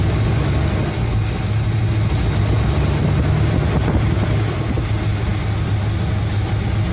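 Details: 1975 Cadillac Fleetwood idling about 5 minutes with valve covers off during gasket replacement, being checked for oil reaching the top end (it does). Low, steady, smooth even beat with no ticking or knocking; normal idle.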